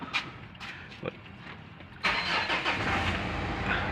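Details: Mitsubishi Montero with check engine light always on, also dying while driving: starter churns in slow, uneven pulses for about two seconds before the engine catches and runs. Hard starting, cause unknown.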